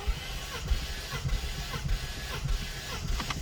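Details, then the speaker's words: 2019 Ford Mustang GT manual with Vortech supercharger, compression test while cranking with injectors disconnected: number 2 cylinder gives even starter cranking with a steady beat and no odd knocks, healthy compression. "Beautiful. Number 2 cylinder. Beautiful. Again, it's the amount of times I'm cranking it. That's why I see the variable, but I don't want to crank it too long to get locked out again."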